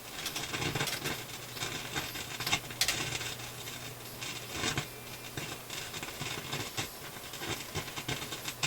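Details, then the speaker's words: Philips console stereo tube receiver, volume turned right down yet random faint crackles and sharp snaps over quiet hiss; owner suspects discriminator, detector or stereo decoder for the chopping audio; crackling and popping, cause not found. "Oh, I heard a snap. Okay, so let's... The volume's turned right down, but we can still hear it. There's the crackly pop."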